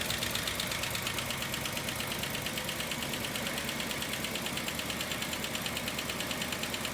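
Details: 1961 Rolls-Royce Silver Cloud II at idle after distributor work (advance cleaned, new points and condenser, timing set, points synchronized): an even idle with a light tick about three per second. The earlier rough running is much improved.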